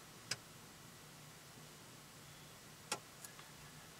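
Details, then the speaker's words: C5 Corvette electronic steering column lock, quick test via Tech2 with ignition off and key removed: a few sharp isolated relay clicks a couple of seconds apart in a quiet cabin; normal column lock relay operation. "you can hear a relay click I'm not sure if you can pick that up or not"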